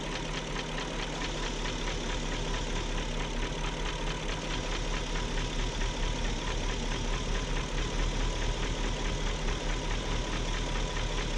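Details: 2001 BMW E38 740i at steady idle after VANOS rebuild: fast, light tapping that never fades; top-end ticking, no codes, source still unidentified.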